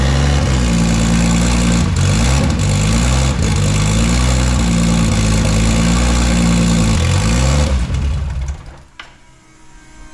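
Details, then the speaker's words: Nissan C33 Laurel with forged RB25 six-cylinder, first start after build, loosely mounted ECU, not yet tuned: loud lumpy, stumbling, lopey running with blips before cutting out, like a tractor; rough running. "like a tractor sounds like an absolute piece of [ __ ] well boys and girls this thing officially runs"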